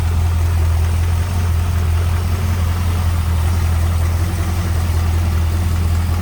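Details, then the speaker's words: 1951 Ford F1 pickup, hood open, 302 small-block with Edelbrock intake and aluminum radiator: low, even rumble at idle, no tapping, misses or surging; smooth, quiet, healthy idle. "Sounds good, nice and quiet, smooth running 302."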